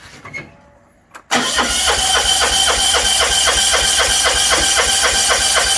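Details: 1980s John Deere 180 lawn tractor: cranks briefly, catches at once, settles into quick even single-cylinder beat without stumbles; has spark and fuel, runs properly.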